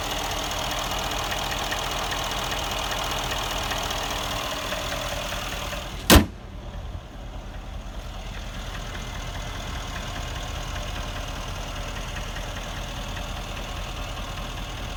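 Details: 2013 Mercedes CLS63 AMG M157 V8 idling in D and R: fast, dry ticking under the engine note, like diesel clatter; owner suspects cam failure, worn lifters or an oil connector problem; unconfirmed.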